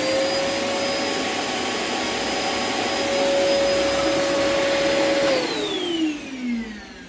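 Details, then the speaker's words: Lumberjack 1200 extractor with a 4-inch hose running normally: strong, even high whine with audible bearings over rushing air, then the pitch sinks smoothly as it winds down. "ou love it listen you can actually hear the bearings which is actually absolutely brilliant"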